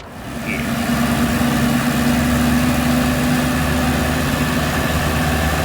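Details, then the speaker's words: M151A2 MUTT four-cylinder after valve adjustment of loose, sloppy valves: steady, even idle, smooth low drone, no knocks or misses, sounds far better; now reaches 55–60 mph; normal idle. "that sounds a thousand times better"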